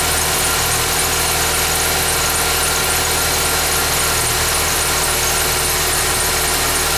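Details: 2011 Ford Fiesta with 10,000 km: steady high, hissy squeal over the engine when started cold at idle; source not yet clear.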